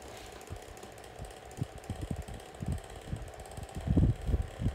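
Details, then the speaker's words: SMC 6-inch desk fan on high speed, owner unsure if blades are loose; uneven low rumble with irregular thumps over the airflow, moves good air; noisy fan, cause unclear. "it's not a surprise definitely a noisy fan but it moves put very good amount of air"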